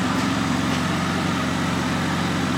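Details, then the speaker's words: Jeep Wrangler 3.8L after replacing the faulty number 4 fuel injector (P0204 injector circuit, misfire): steady, even, smooth idle with no stumble or skip; Pico scope and scan tool confirm the fix. "we have confirmation sounds nice and smooth out the back looks nice and smooth under the hood pico tells us we're good scan tool tells us we're good"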